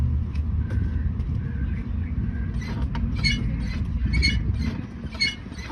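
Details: 2019 Lada Vesta, phone placed at the rear wheel while the brake pedal is pressed: pitched squeaky creaks about once a second over a low rumble; service says it is a known Vesta issue, worn rear brake pads.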